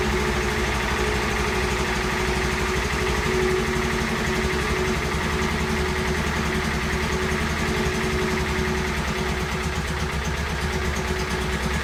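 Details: Honda S600 engine at idle: a steady idle with a slightly lumpy, uneven exhaust pulse. The owner says the carbs work but need synchronising. Coolant is leaking from the water pump and the cylinder liner base.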